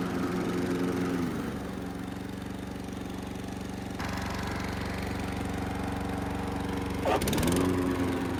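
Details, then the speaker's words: Riding lawn mower test run after a DIY fix, PTO engaged: the small engine hums evenly, the tone shifts as the blades take load, then a brief rev; it runs and pulls the blades smoothly, normal. "let's fire it up and let's take it for a little test run and see what happens when we engage the blades, how they act, if they sound right."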